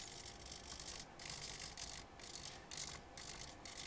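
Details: Elektor Laser Timer Writer (violet laser writing time on glow-in-the-dark sticker) with servos, after calibration attempt: quick whirring servo bursts about once a second with short quiet gaps, even rhythm; servos moving normally, described as very noisy.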